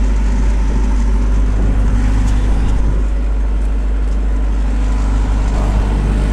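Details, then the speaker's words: CX75SR excavator diesel at steady idle right after the broken-loose muffler was put back in place (welded many times before), before re-welding, not yet fully warm: deep, even rumble, no blowing or rasp, much quieter; normal idle. "Wow. Sounds a lot quieter. Yeah, that sounds a lot quieter."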